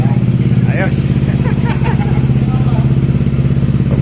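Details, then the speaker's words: Five-year-old Yamaha scooter that would not start and had a very low idle, suspected ISC problem. After several tries at the Yamaha shop it finally starts on the original ISC. Steady, even single-cylinder idle with no misses or hunting. "Naka ilang try siya na i-start yung ano yung makina at yun sa wakas ah umandar din"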